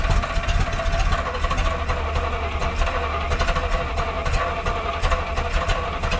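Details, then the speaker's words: 1971 Chevrolet M705 4x4 military truck, not run in years, just after the old brittle vacuum hose was replaced: the engine catches and holds a low, slightly lumpy idle, then is given some gas. It runs but needs a distributor timing adjustment. "I'm going to give it a little bit of gas. Oh, definitely needs a little bit of a timing adjustment."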